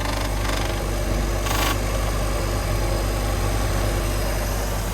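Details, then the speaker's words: MerCruiser 3.0 inboard in a Stingray 192 RX boat, some gauges not working: steady, even idle with a smooth low rumble and no knocks or misses; normal healthy idle. "but other than that she sounds good some of the gauges don't work that all needs to be updated"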